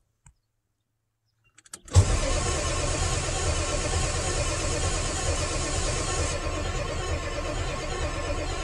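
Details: 1997 Ford F350 7.3 Power Stroke diesel, 4x2, with the ICP sensor just plugged back in and injector control pressure fluctuating while cranking: after a click the starter spins it evenly for seconds with no firing. Cranks but no start; later the IDM relay was found missing.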